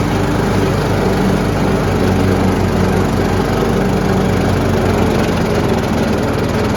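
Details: Troy-Bilt Pony riding mower after replacing the deck spindles and blades, first start with blades engaged: loud, even engine drone with no clatter, squeal or wobble, running smooth and healthy.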